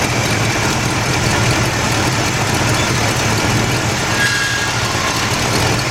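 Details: 1977 Buick LeSabre 350 V8 idling after steering gear box replacement, wheel turned side to side to bleed fluid; steady low rumble, power steering pump quiet with no whine.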